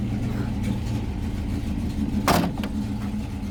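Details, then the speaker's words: Original unrestored 1954 Ford F-800 fire truck with five-speed transmission, push-button start, just fired up: old V8 idling low, steady and even with no knocks or misses, one clunk partway; normal healthy idle. "Listen to it purr."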